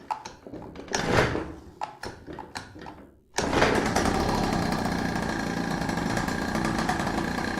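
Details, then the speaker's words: First start of a Chinese pocket/mini bike two-stroke, Dellorto SHA 15mm carb, run on old fuel mixed oil-rich: a few pulls, then it catches into a steady busy buzz with some smoke; runs cleanly and sounds like a proper bike. "Yeah, baby, she runs! Now there is some smoke right here. Of course, it is with the bad fuel, not really bad fuel, but more rich oil fuel. But she sounds absolutely amazing."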